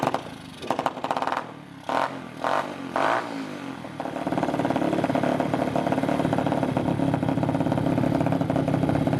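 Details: 2021 Apollo RFZ 125 dirt bike after sitting for months, first start since fitting a new exhaust, new carburetor and new filter: a few rough clattering tries, then the small single catches and settles into a steady, even run without misses; normal running.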